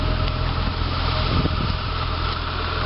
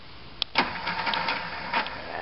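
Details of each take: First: Diesel on a cold 6 °C (43 °F) fall morning: steady diesel clatter at idle with an even, unbroken rhythm; runs smooth and healthy. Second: Boat engine on a 6°C day, new ignition part fitted after running on 3 of 6 cylinders: primer clicks, then uneven cranking bursts that never catch; cranks but won't start, owner suspects cold grease.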